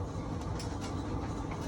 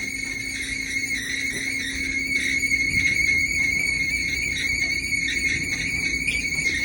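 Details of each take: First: Whirlpool dryer YWED9620HCO after replacing idler pulley, belt and drum rollers: steady low drum rumble with no squeal or screech, even tumbling hum. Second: Whirlpool YWED9620HCO dryer running with a continuous high, wavering squeal over the low motor hum, suspected to be the idler pulley, before fitting a belt, roller and idler repair kit.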